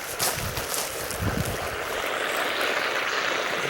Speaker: I'm hearing some noises and it sounds like there's a leak somewhere underneath one of these bushes